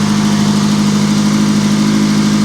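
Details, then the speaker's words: Auction vehicle: a steady, even low hum with no misses, knocks or ticks; it burns a little oil (suspected valve seals or guides from sitting) and shows 15 volts (probably a failed regulator), but runs like a top. "it runs like a top hers like a kitten and it's not dead as a doornail"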